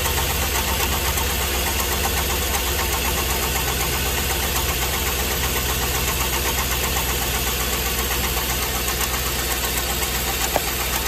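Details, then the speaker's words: LS V8 with bad squeaking mistaken for flex plate, number 7 misfiring constantly on scanner; idling with valve cover off gives a rough repeating scuffing knock, gone when shut off: wiped cam lobe and lifter on cylinder 7. "Got a pretty pronounced noise. Nothing that cam noise is gone. So we 100% know that that is our cam scrub noise. We've wiped the lifter on 7."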